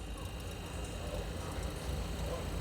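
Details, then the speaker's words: Sharp two-door no-frost fridge with a refrigerant leak, compressor running after being plugged in during recharge work; low, steady hum with no knocking, rattling or clicking, and the compressor is judged 100% good, running normally. "อันนี้คอมเขายังดีครับผมร้อยเปอร์เซ็นต์นะครับ"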